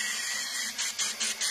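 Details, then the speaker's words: Cylinder leak-down test, listening with a pipe at the intake manifold: steady air hiss, then five sharp hissing pulses about every fifth of a second. Air escaping past an intake valve not seating in the cylinder head. "which gave me a complete uh understanding that the intake valve was not seating right on this cylinder head"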